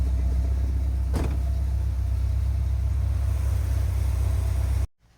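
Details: 1981 Chevy Corvette, brand-new V8 after overheating and fuel-leak fixes: electric fan, new fuel filter and spacer. Steady, even low idle rumble with no knocks or misses before shutoff. Normal idle.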